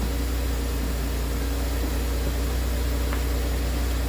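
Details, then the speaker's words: Nearly 25-year-old Porsche Boxster cold start after throttle body and MAF cleaning, oil level mid-range: smooth, even low idle "Porsche purr" with steady beat, no smoke, ticks, misses or knocks; normal healthy idle. "nice, nice. Check it out. The old Porsche purr. That's a cold start. No smoke. Sounds good."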